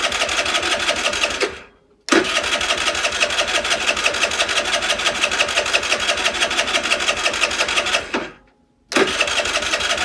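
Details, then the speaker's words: Longjia 50cc scooter after carb cleaning, no battery, key-started off a 12 V portable jump starter: two bursts of fast, even starter cranking, never catching; cranks but won't start despite spark and fuel. "Nope. Let's just check the spark, shall we?"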